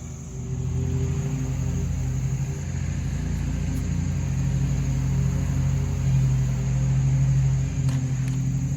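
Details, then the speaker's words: Used RedMax two-stroke edger idles high with a fast, steady drone that never settles, and overloads whenever throttle is given; owner plans to drain fuel, check tank fuel lines for disintegration and clean the carburetor. "all right this edger what it's doing is when i crank it up it'll idle but it's idling high now and anytime you try to give it gas it just overloads"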